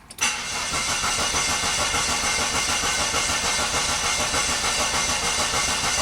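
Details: Saab 9-3 crank no start: the starter churns steadily at about three turns a second and the engine never catches; the tachometer does not move while cranking. Traced to a weak signal from the single crankshaft position sensor.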